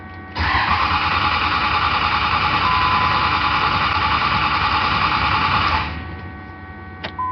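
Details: 5.9 ISB Cummins common-rail, crank with cylinder 1 injector blocked off: steady fast cranking about five seconds, no firing; rail pressure stays near 1200 psi, no codes. Cause found later: cylinder 2 injector excess return flow, replaced.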